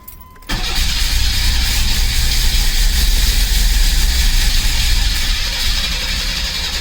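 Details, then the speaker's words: 1986 Pontiac Fiero GT, old and rotting, new fuel filter fitted, fuel pump heard priming: steady cranking at about three and a half turns a second that never catches; crank no start. "but there was something else wrong so next i went to check for fuel pressure"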